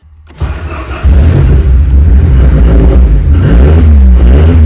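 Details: Ford Sierra Cosworth started after fitting a new fuel pressure regulator, checking for leaks: catches after a short crank, then a strong, even rumble with clean revs and no misses or knocks; starts fine.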